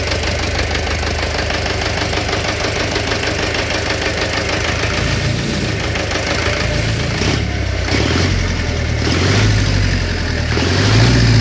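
Steady idle with an uneven knock, roughly three per second, riding over the low engine rumble; a knock from inside the engine.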